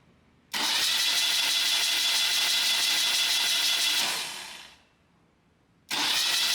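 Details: Freshly restored 1977 BMW R75/7 on the work table with the ignition coil unplugged: a steady high whirring crank of about four seconds winds down, then cranks again, spinning freely with no catching or grinding while oil flow to the rocker arms is checked. Normal starter cranking.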